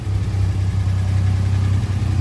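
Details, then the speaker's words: Alpine V6 idling with newly fitted exhaust silencer before a test drive: deep, even burble with a steady low throb and no knocks or rattles; normal idle. "Ça permet quand même d'aller faire un tour et en entendant éventuellement des choses qui n'iraient pas, quoi. Sympa le bruit."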